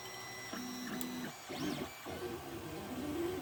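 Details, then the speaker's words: 3D printer restarting a print after the jammed nozzle and tubes were replaced and the bed re-leveled. Soft stepper whirs and chirps with no clicking or skipping; it is printing normally. "so we're ready for another go i will sit and watch it start again just to make sure it does run"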